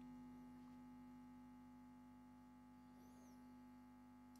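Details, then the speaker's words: Restored late-1960s East German Vermona MV3 valve guitar amp (ECC83/EF86 inputs) on 230 V mains, chassis not yet enclosed, on open workbench: steady low hum with faint buzz; residual mains hum, blamed on unshielded bench setup, not confirmed. "That seems to be the quietest it's been. I do expect buzz because this thing is sitting out there in the open on a workbench with all sorts of stuff switched on."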